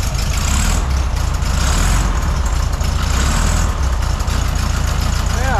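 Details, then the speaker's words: 1972 Volkswagen Beetle, air-cooled flat-four, after a mechanic adjusted valve clearances to free locked valves that had caused a no-start: idles with a deep, steady rumble, no misses or knocks. "And he turned the key and Rosebug started on the first crank and is running really good."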